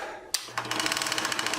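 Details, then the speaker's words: Vintage Bell & Howell 16mm projector model 1592B switched on: loud rapid clatter, about fifteen sharp ticks a second, steady and harsh; badly cracked worm gear needing replacement. "that's what a really bad worm gear sounds like. They both need replacing, but this one is crazy bad."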